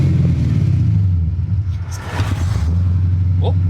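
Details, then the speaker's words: 1979 AMC Spirit AMX, AMC 304 V8 converted from carburetor to ACES throttle-body EFI, after a tuning setting change: slowing from 40 mph with clutch in, revs dip, then catch and settle to steady idle instead of stalling. "you hear right there normally it would have stalled and it caught itself you hear that it's catching itself it's learning I think I did a thing all right so if I throw a clutch in normally it would have died right there"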